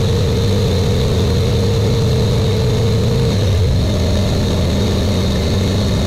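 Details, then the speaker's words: Buick Grand National with new engine, second 10-minute cam break-in run: steady, even fast idle with a smooth low rumble, no knocks or ticks; normal fast idle. "we got the first 10 minutes of breaking in the can done now we're gonna do the second one I'm gonna start it up now and do it"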